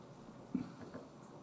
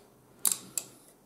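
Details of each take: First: Paradise EGA card failing to POST: multimeter continuity test gives steady high beep over a second across a capacitor, dead short; capacitor removed and confirmed dead. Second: Monochrome CRT monitor powered on after replacing a part that fried, probably while discharging a capacitor: a couple of sharp clicks and a brief high, thin squeal, then quiet. These are correct power-on sounds.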